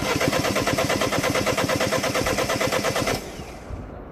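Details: 2010 Mini Cooper S 1.6 N14, non-runner, ignition on: steady cranking about three compressions a second, no firing; crankshaft sensor signal stays at zero volts while cranking, crank no start.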